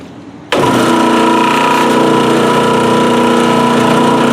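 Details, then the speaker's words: 3.7 hp blower motor in a 25-ton Carrier HVAC unit with toasted bearings: it starts abruptly into a loud, rough rumble with steady whining tones and a fast, uneven rattle. This is blower motor bearing failure, and the motor is being replaced. "all right so time to replace this motor this is a what 25 ton carrier uh bearings are toasted this I'll start it up and let you hear it"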